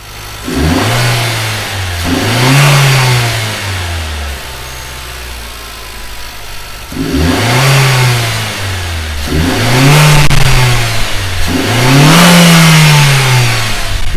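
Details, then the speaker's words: Nissan Juke just fitted with a long-ram NISMO cold air intake, filter behind the front wheel liner, run before any tune. With five or six throttle blips a strong airy intake rush rises and falls with the revs and the engine pulls up cleanly; normal, the car seems happy. "nice a little bit of the small now or you can hear the intake sucking in air clear the car seems to be super happy"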